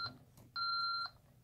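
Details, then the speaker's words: ADT SafeWatch Pro 3000EN alarm panel after a pull station simulating a burglary zone is tripped: steady two-tone beeps, about half a second on and half off, the entry-delay warning to disarm before the alarm sounds. "that's basically saying hey you better come now and I'll and disarm this or I'm gonna go into alarm and you're gonna be mad"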